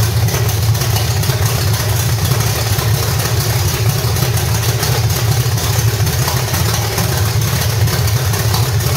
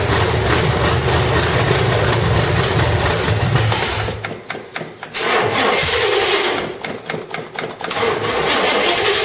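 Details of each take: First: 1985 stepside with cammed V8 (reportedly 400 hp Corvette motor), headers and roller rockers, gummed-up carburetor, just fired up: loud steady idle with rhythmic cam lope and deep open-exhaust rumble; healthy. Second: 1985 stepside truck, cammed V8 (said to be a 400 hp Corvette motor) with roller rockers and headers. It runs, then stumbles and nearly dies twice before catching; the old carburetor is gummed up, so fuel was slow to flow; hard starting.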